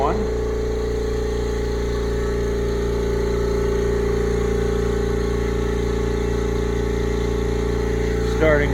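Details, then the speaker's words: Brand-new upright air compressor, first run, building pressure: even, steady motor hum with constant pitch and no knocking or rattling. It runs smoothly and quietly, quieter than the old unit. "I believe they're right, it is pretty quiet."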